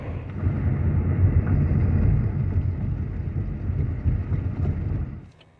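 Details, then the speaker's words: 2005 Buick LaCrosse, GM 3800 3.8 V6, after new spark plugs and wires fixed an intermittent P0300 misfire, accelerating onto highway: deep smooth pull rising steadily over road rumble, no missing beat; previously sluggish, now running clean. "Let's test out the acceleration on this thing just getting turned onto the highway here"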